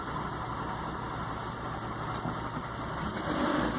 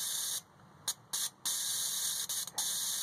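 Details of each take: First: Nissan 240SX with shaky idle and low power, after reinstalling fuel injectors with no leaks: steady idle with an uneven low thrum that wavers and stumbles; still idling rough after the injector work. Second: Nissan 240SX fuel injector off the car, bench-tested with voltage while flushing with carb cleaner, cleaned to cure shaky idle and low power: short sharp hissing bursts start and stop cleanly each energising; injector spraying normally.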